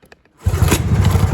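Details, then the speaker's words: Vintage barn-stored two-stroke snowmobile starts after a few cranking puffs and settles into a steady, even burbling idle with no knocks; sounds healthy. Normal idle. "Oh! dude, it sounds good. Yeah. Oh, it sounds healthy."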